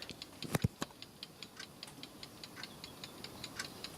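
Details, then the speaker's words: Landis & Gyr / Osaki mechanical time switch on test: light, even ticking at about five per second, running again after a tap freed static friction. Normal escapement ticking. "if i give a little just a quick tap on the front on the front and that got the escapement going again because when these things see that they get a little bit of static friction"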